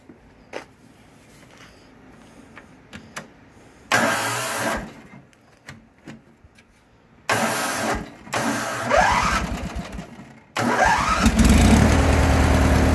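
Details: LX176 lawn tractor after repair, belt no longer slipping: quiet ticks, then a few short cranking bursts before it catches and settles into a steady even run; normal start and idle.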